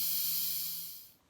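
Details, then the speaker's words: Hot water heater refilling after draining sediment with a transfer pump, faucet left open: steady hiss of air rushing out of the open faucet fading over a second; normal air venting as the tank refills with water. "cuz now you hear all the water or all the air coming back out of that tank whereas before the air was going into the tank"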